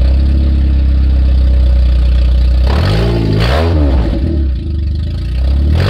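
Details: 1994 Nissan Sentra four-cylinder with exhaust removed to fix a leak near the catalytic converter heat shield: loud, raw, deep bark rising and falling with throttle blips, then settling to idle; straight-pipe sound.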